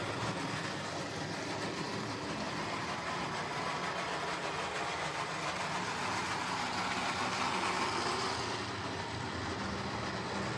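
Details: Old Jouef (or Playcraft) HO scale Class 21/29 locomotive on test: harsh buzzing whir with an uneven gritty texture and a wandering tone; the worn original motor runs loud and rough, and it needs a replacement.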